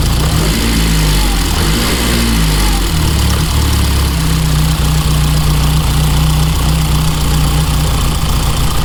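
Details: 1987 car brought back after sitting, injectors suspected stuck and running on old fuel: steady low idle with slightly uneven lumpy beat, all four cylinders firing but a bit rough. Rough idle, cause suspected.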